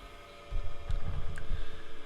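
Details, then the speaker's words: Secondhand bench grinder, coasting after switch-off: a smooth steady hum with soft throbbing continues without rattle or grind; it spins down longer than the smaller grinder, so the bearings are good. "so turn this off you can see how good the bearings are on it it's still going almost full speed that lasted longer with no power going to it"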